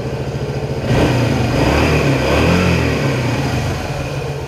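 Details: 1976 Honda XL175 single-cylinder after restoration and carburetor adjustment, riding: revs climb and hang high without matching pull, then ease back. The clutch is slipping, worse than before.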